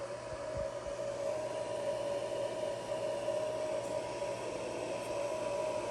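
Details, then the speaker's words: XTZL3D S1 3D printer after finishing a print: constant airy whir with a steady mid-pitched whine from the stock cooling fan, unchanging throughout; the fan is simply loud. "I'm going to let you guys listen to the fan here, and then I'm gonna shut it off."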